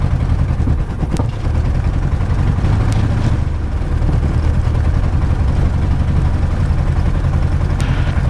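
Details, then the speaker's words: Light aircraft piston engine, ground run-up after plugs cleaned: deep, lumpy drone chugging like a tractor; rough running with vibration, no mag drop; owner believes not spark plugs this time, cause unknown. "this is not spark plug this time this is definitely um something else but we're sounding like a tractor"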